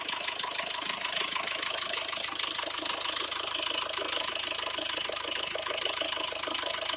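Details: SsangYong Actyon at idle: quick, fairly regular light ticking of about two per second over a thin engine hum, source not obvious. Abnormal engine noise.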